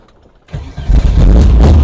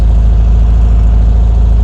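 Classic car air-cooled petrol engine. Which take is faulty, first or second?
second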